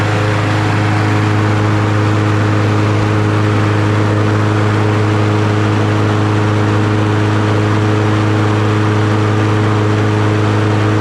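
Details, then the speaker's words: Troy-Bilt TB110 push mower with a Briggs & Stratton 550EX, after an oil change, new plug and blade, replaced leaking fuel tank and cleaned carburetor. Steady, even drone at about 3100 rpm with no misses; it sounds much better. "take my little clamper and clamp the bail back give it a pull he that sounds much better"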